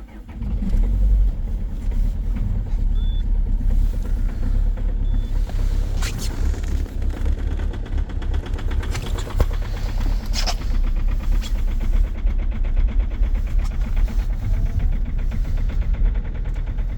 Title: EXTREME START diesel at -19,2°C with a very strong knocking sound, egr off 2.0 hdi #rybin